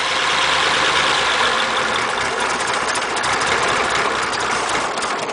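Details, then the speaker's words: Cold 276-inch flathead V8 in a Model A roadster on '32 rails, parked about 18 months, warming on choke: rough, uneven idle with wavering beat; owner says it doesn't want that much choke. "oh come on [Applause] don't want that much choke does it oh come on"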